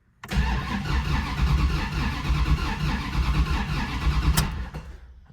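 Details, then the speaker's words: Turbo Dodge Diplomat with a recent engine noise, cranked with the fuel pump disabled: a lopsided, galloping cranking rhythm with uneven strokes. Suspected low compression in one or two cylinders, from rings, piston or a valve-train fault. "So that definitely sounds like lack of compression in one or two cylinders. That could definitely be caused by rings, piston, or something like that."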